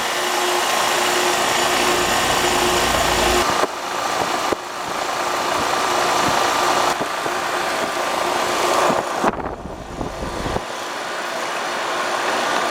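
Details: Dry outdoor condensing unit, about a year and a half old, running while being charged with refrigerant. Steady fan rush and compressor hum with a few handling clunks. Normal running.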